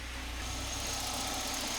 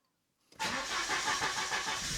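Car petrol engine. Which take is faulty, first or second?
second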